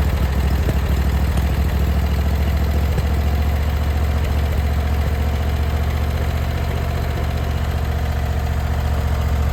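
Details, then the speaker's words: Briggs & Stratton Vanguard V-twin on a Vermeer SC362 stump cutter, idling after bent push rod replacement and valve lash adjustment; steady even low rumble, both cylinders firing regularly, no misses or knocks, smoother than before with minimal vibration. "Sounds a lot better than what it did before. Very smooth, in a minimal vibration."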